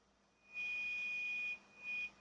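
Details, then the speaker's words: Laptop: a thin, steady high whistle in two bursts from the hard drive area; the drive is the source, not the speakers. "Это шумит винт шумит Вот именно в этой части Где стоит винчестер"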